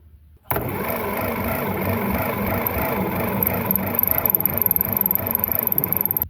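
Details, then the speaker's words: Ferguson TO30 tractor bought on Facebook Marketplace in very poor condition, with the battery hooked up and the old starter in place; slow, labored cranking at about three to four turns a second that won't spin the engine fast enough. Slow cranking from worn starter. "all right you seen how it dragged was real slow it wouldn't spin the motor over fast enough"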